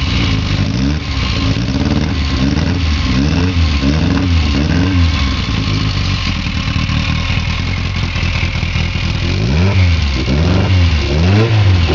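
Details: Petrol engine with Weber 40 DCOE carburettors whose idle keeps rising and falling in quick regular surges instead of settling.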